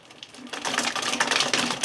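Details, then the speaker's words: Electric WR250E conversion, chain guide refitted with Loctite, reverse at full throttle: rapid uneven clattering ticks as the controller's reverse speed limiter cuts in, making the drive bind; gentle throttle avoids it. "the motor guys and when I give it Full Throttle that's a that's what that that's a that's a speed limiter is what it that's hitting guys if I do it very gently it doesn't bind"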